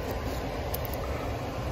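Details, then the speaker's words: York air handler blower motor running on a new run capacitor (old one open) while amp draw is checked, 3.5–3.8 A measured against a 2.2 label: steady hum and airflow rush, no knocking or surging, normal. "wait a split second and sure enough she fires up"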